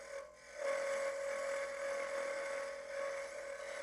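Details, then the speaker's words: Wood lathe turning a Christmas ornament: steady high singing tone over the rasping cut, tool chatter from too little tool support at the rest. "the reason it makes that noise is because I don't have a lot of support it's CA a lot of chatter"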